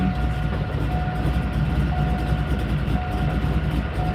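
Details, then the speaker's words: C5 Corvette with built V8 (billet crank, 6.3 long rods, custom pistons) idling with a dense loose metallic rattle from the torque tube, despite new torque tube bearings; unsprung clutch makes it rattle loud. "i just put bearings in this torque tube because it rattled loud and then i put an unsprung [ __ ] clutch in here and guess what that does the torque tubes it makes them rattle loud"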